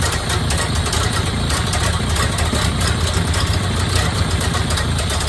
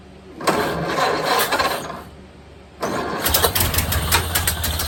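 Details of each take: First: 1929 Ford Model A Tudor rebuilt engine finally running after 40+ years sitting: steady, even low idle with a soft regular beat, no knocks or misses; purring smoothly, healthy. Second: 1929 Ford Model A Tudor rebuilt engine first start after 40+ years sitting, throttle lever unhooked, idle set by hand: catches and sputters unevenly about two seconds, dies, then fires again roughly; won't hold idle.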